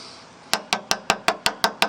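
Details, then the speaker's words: One-owner 1992 Ford F250 XLT, 460 automatic, 92,000 miles, knife taps on lower body metal: eight crisp, bright taps, no dull thud; rotted metal would sound deeper and break through. Solid metal, no rust rot. "again that's nice solid metal I mean it's not if it was cancer it would be a a deeper sound and just come right off there'd be a hole right there actually"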